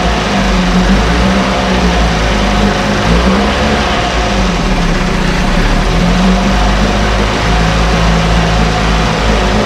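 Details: 1968 Evinrude Fastwin outboard, run in a test tank with no work done after purchase; steady low burble with an even beat, no misses, knocks or rattles; normal idle.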